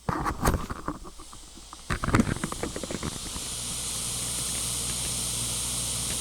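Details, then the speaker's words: Sony stereo used as a comparison unit, tape mode at full volume: handling clatter, then a steady soft hiss with no crackle or hum; normal background hiss. "Full volume's got a minor hiss, but there's no, oops, dropped that microphone."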